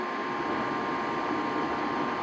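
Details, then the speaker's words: Furnace after igniter and exhaust motor (bad bearing) replacement and flame sensor cleaning, powered on: steady even whir with constant mid-pitched hum, no scraping or wobble; draft inducer motor running normally. "once the furnace turns on you will hear the exhaust motor spin indicating everything is working correctly"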